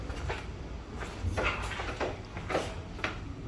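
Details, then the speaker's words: BMW F10 535i comfort access: sharp, irregular clicks as the locks unlock by themselves when approaching with key in pocket; faulty door handle module, draining the battery, to be unplugged and replaced. "you heard it click gonna do it again nothing go back the other side and i did just click"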